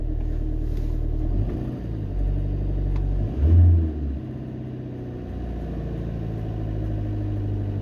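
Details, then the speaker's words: Ford Transit Connect diesel, cold start, being checked for hunting idle: clatter at slightly raised fast idle easing down over a few seconds as normal for a cold engine. "it's revving a bit high but then is it revving a bit High that's going down again now because it's cold"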